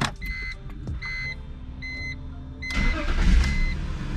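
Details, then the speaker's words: 2001 BMW, battery just reconnected after installing a replacement DME with EWS delete: two dash chimes, then the starter catches and the engine fires and settles into a steady, even idle; normal start. "All right, so it starts."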